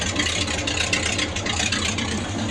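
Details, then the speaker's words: 1978 Ford F150 351M V8 after pickup coil replacement cured no-spark. Even, smooth idle with a steady low rumble, no misses or popping; running smooth and sounding good. "All right, guys, she's running smooth as eggs. Sounds good."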